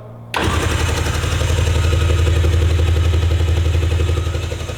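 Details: Jet ski bought flooded at auction, being rebuilt, after key programmed: quick crank, catches at once, settles into steady even low-pitched idle; starts and runs cleanly.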